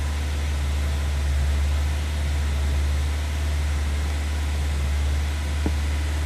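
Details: 1999 Honda CR-V at first startup after battery disconnect to clear check-engine codes: idle dips very low then recovers, low drone swelling and sagging every second or so; hunting idle, misfire also reported.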